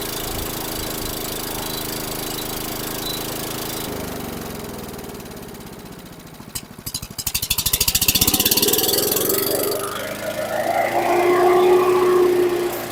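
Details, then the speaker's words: 2010 Troy-Bilt CSV 070 chipper shredder vacuum, 173cc MTD single-cylinder engine built June 2010, started on choke with the bag fitted: it runs fast and loud, and the revs hunt up and down in a surging idle; owner suspects it needs a carb clean. "loud and very high RPM so kind of a fluctuating idle I'm sure it needs a carb clean but kind of surpris it started"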